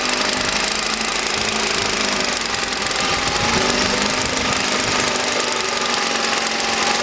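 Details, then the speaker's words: 1971 Mercury outboard, with replaced coils and water pump, carb cleaned: small two-stroke buzzing steadily at fast idle with water splashing, even and unbroken; now runs good. "the motor from Hell runs good now"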